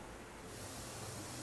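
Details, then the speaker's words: Steady, even hiss heard through an ultrasonic leak detector, the escaping gas of a leaking head gasket. "this one's got a leaky head gasket it's a good thing we found it now before something serious went wrong"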